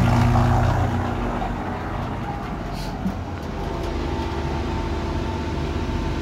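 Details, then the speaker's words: Vacuum pump starting up on a 12V 4000W pure sine wave inverter charger in a mobile setup, a heavy startup load. Loud surge at switch-on, then a steady low throbbing drone that settles: normal vacuum pump startup. "let me go over here and can show you my vacuum pump this also is a a huge load uh when first starting up"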